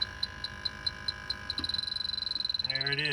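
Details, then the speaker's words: Electronic leak detector held near the evaporator coil of an HVAC unit: sharp beeps start at about five a second, race to a rapid chatter, then slow down, confirming a refrigerant leak in the evaporator coil. "is i knew it that is a leak and then you'll hear it slow down i got a leaky evaporator coil about on this side"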